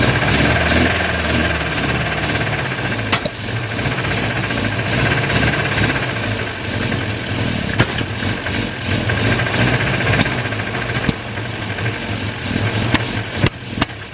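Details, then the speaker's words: Volvo 144S after HS6 SU carb rebuild, valve lash and timing set, distributor gear moved about two teeth; loud, rough uneven running with irregular sharp metallic knocks, owner says metal-on-metal from the bottom end, cause unconfirmed. "Definitely sounds like some metal on metal contact going on, and it's definitely coming from the bottom end."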